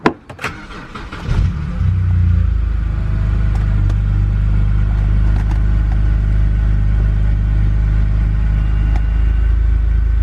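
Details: BMW N52 engine started after engine flush and oil change with about 6 litres of Mannol 5W30; quick crank catches at once, revs flare then settle to smooth even idle, no ticking or knocking, no oil pressure light.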